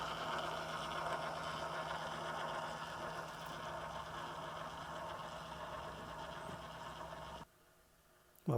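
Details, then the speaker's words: 2015 Tesla Model S, parked and off with the key away: a faint, steady electric hum from the driver's door handle, which won't present while the other three handles pop out; the handle motor keeps running constantly. "but when you walk up to the car the other three handles pop out but this one doesn't and it's making a bit of a noise"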